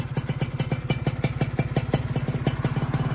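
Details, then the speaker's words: Freshly rebuilt Yamaha F1ZR two-stroke first run, new block at zero oversize with new piston, carbon-coated parts and new exhaust: crisp, even popping at steady idle, no knock or rattle, engine sounding smooth during break-in. "alhamdulillah suaranya juga udah halus"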